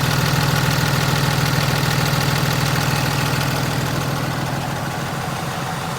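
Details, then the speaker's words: 2015 Ram 2500 6.7 Cummins with G56 6-speed manual, 76,387 miles, at idle: steady diesel clatter with a fast, even rattle from the clutch, worse when the clutch pedal is pushed in. "you can hear that rattling from the building this clutch especially when you push the clutch in"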